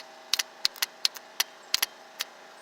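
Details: Exmark mower starter solenoid bench test: a known-good three-post solenoid, grounded to battery positive, is touched with a hot wire and gives sharp, crisp clicks in an irregular run. Normal solenoid engagement.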